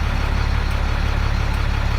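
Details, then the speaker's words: 1999 Freightliner diesel truck, suspected bad fuel pressure sensor, after dying now idles smoothly with an even deep throb; tach, oil pressure and voltmeter steady, check engine light flashing as usual. "Died like that. Just died like that. And now it's idling fine. Tach is steady, oil pressure steady, voltmeter steady."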